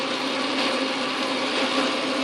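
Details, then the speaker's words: Atlas Craftsman lathe after fitting a replacement plastic threading dial gear: even, steady whirr with no knocking or clatter in the gears; runs much quieter, normal running. "I hope you notice my lathe is a whole lot quieter"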